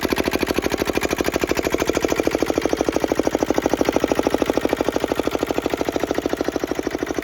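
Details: Petter AA1 single-cylinder diesel water pump, started cold after sitting a week: crisp, even chuffing at about three beats a second with a light injector-pump clink; runs steady and healthy.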